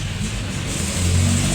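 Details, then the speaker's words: Samsung wobble 8 kg automatic washing machine after repair of the part causing the noise: low steady hum building slightly as the drum speeds up, smooth with no thumping. The spin is now quiet and normal. "So yun ang naging problema mga winding talaga yung pumbt na yun kasi yun ang nagabigay ng cause ng ingay. Kita mo ngayon wala kang maririnig tahimik na tahimik."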